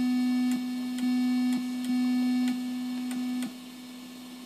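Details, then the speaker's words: Midland 9001Z CB radio with digital noise in the audio circuit: constant low buzz with faint hiss, intensity changing as channels are switched. Loudest on channels 16 and 18, silent on channel 1. "you can watch as I change channels its intensity changes so it and 18 and 16 are about the loudest channels but when you get down to channel one it's completely silent"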